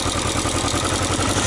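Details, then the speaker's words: Yamaha XJ900S Diversion motorcycle after straightening a dented exhaust sealing finger that stopped the header sealing; steady, even exhaust pulses at a settled idle, no ticks, knocks or leaks. Normal idle. "baby good golly Miss Molly so as you just see it sounds pretty awesome"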